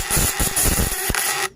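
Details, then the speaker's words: Fish-stunning device (setrum ikan) with vibrating contact breaker (platina), 1 mm primary and 0.5 mm secondary wire, still cold: harsh, fast rattling buzz with pulsing beat for about 1.5 s, then stops; described as quiet but high output. "dan bisa dibilang suaranya juga ini tidak terlalu keras teman-teman tidak terlalu berisik kecil sekali tapi outputnya besar"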